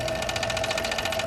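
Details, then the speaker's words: Toshiba SD-2800 DVD player (2002): fast, even buzzing rattle, about a dozen pulses a second, over a steady motor whine, with repeated stop-start. The center disc clamp with its round magnet seems out of balance; cause not confirmed. "I'll show you the key shut this off this piece in the center seems to be kind of out of balance"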